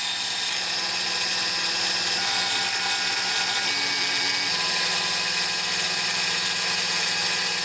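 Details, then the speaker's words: Snapmaker 2.0 CNC router cutting a wood phone holder demo: a steady high-pitched spindle whine with an even, hissing cut and no chatter or bogging, chips flying everywhere; it is cutting cleanly. "it's making a decent amount of mess chips flying everywhere"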